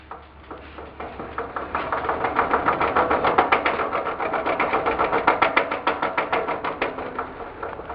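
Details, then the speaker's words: 1958 Wheel Horse tractor with early-style (1958–61) transmission gears, rolled backward on a cement garage floor with no engine noise: regular clacking three to four per second, quiet going forward. Worn, poorly shaped gear teeth knocking in reverse. "When you roll in reverse, you can hear a knocking noise. Forward, you don't hear anything."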